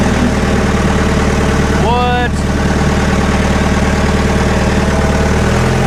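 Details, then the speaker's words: Scrap-bound diesel forklift revived for a machine shop, driving in gear: steady, even low diesel drone with no knocking, misfire or surging; it runs well, though the brakes are slightly spongy. "cái ồ nó thực sự hoạt động rất tốt"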